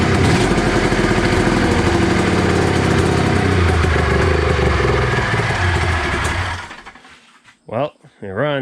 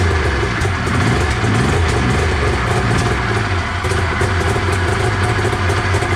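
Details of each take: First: 1993 Arctic Cat Thundercat 900 two-stroke triple at first start after one pull: loud, rough running with a raspy, spitting exhaust, then it dies after a few seconds. There is a major exhaust leak, and the carbs still need going through. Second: 1993 Arctic Cat Thundercat 900 two-stroke snowmobile, first run after sitting: choppy, uneven low burble, rpm hunting slightly, but it keeps running on its own; normal running after sitting.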